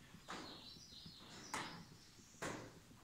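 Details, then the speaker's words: John Deere 7200 planter: three loose metallic clunks as gauge wheel arm is rocked; bearing/bushing at top fine, play from lower pivot hole worn oval (wallered out), arms to be replaced. "i don't think that's the issue the issue is that hole is a little wallered out"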